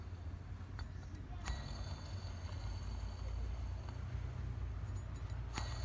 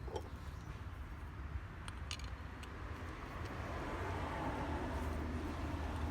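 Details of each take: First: 2012 Toyota Vitz AC compressor whose pulley bearing was recently replaced. At idle with AC not engaged, a faint steady metallic scrape rides over the engine. The clutch (conductor) plate is rubbing the pulley. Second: 2012 Toyota Vitz AC compressor after adding a 0.25 mm shim under the clutch (conductor) plate washer. A few light clicks, then a low, steady hum with no scraping. The rubbing noise is dramatically reduced; normal pulley.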